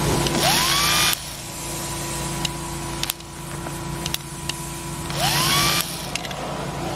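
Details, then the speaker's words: Starter from a 2006 Ford E-450 Super Duty 6.0 V8 diesel, bench-tested off the vehicle with jumper cables after the owners cranked it until it burned out. Two short, weak whines with no pinion throw. Failed starter, burnt windings. "doesn't shoot out it's way too weak"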